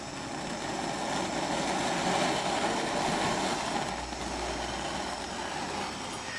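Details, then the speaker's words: Small gas grill burner after the regulator fix and adapter fitting, with gas turned up. An even rushing roar holds steady for several seconds without popping or flutter, a strong, healthy flame. "It's going now. Let's see how much more we can give it."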